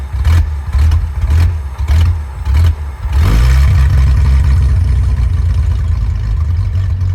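Low uneven idle with irregular thumps about every half second, then it catches and settles into a steadier drone; rough-running idle.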